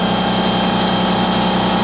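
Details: Harbor Freight Central Pneumatic 10-gallon or Home Depot Husky 30-gallon home-garage air compressor filling its tank: loud, steady motor drone with an even buzzing pitch that never wavers. Normal running.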